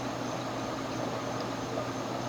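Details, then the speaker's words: Early-1920s Century 36" ceiling fan model CF-36/283, oil-bath pancake motor, original speed coil, on high at an estimated ~300 rpm; steady even whir over soft motor hum, no ticking or wobble; normal high-speed run. "welcome change of scenery yeah this thing naturally flies i want to say it's doing about 300 rpm on high"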